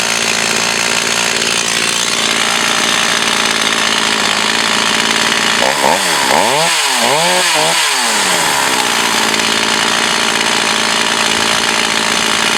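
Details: Echo CS 4500 chainsaw, unknown history, years unused, carb rebuilt, high-speed needle adjusted: it screams steadily at high revs, dips smoothly in pitch through the cuts and recovers cleanly; it runs and cuts properly.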